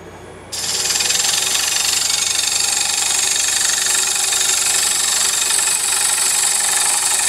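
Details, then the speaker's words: Wood lathe hollowing a poplar bowl with a gouge: a steady cutting hiss with a rapid, even banging chatter of about four per second, the bevel bouncing on the wood because too little edge is cutting. "did you hear that banging I was beating the bevel right through here I wasn't cutting enough edge"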